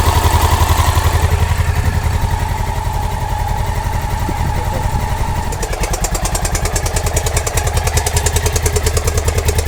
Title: Honda dominator nx650, 45.000km, 1999, bad and loud clacking engine sound problem.